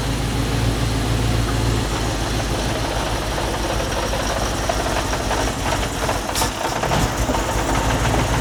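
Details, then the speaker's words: Audi R8 with an injector-circuit misfire fault, restarted after swapping injectors 1↔2 and 3↔4 to see whether the fault moves: a lumpy, uneven cold idle with irregular thuds. A misfire, cause not yet confirmed. "Well, it sounds rubbish."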